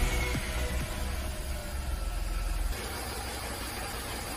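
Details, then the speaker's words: VW Fox 1.2 L 6V three-cylinder (BMD) with code P0302: lumpy, jerking idle with irregular low thumps as cylinder 2 misfires; coil, plug and injector swaps didn't move it, cylinder 2 had 5 bar compression from a burned exhaust valve. "The second cylinder immediately counts up the misfires and the engine jerks"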